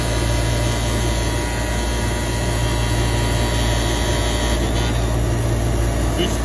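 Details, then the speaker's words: Walk-in freezer condensing unit on roof, 3-pole contactor in electrical panel: loud steady buzz with rattling edge, contactor vibrating and not closing fully, supply 202 V on all legs; chattering contactor. "contactor is vibrating like crazy."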